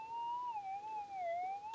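A clear, smooth tone that rises and falls as the target passes over the coil. A good, strong response in the sweet spot.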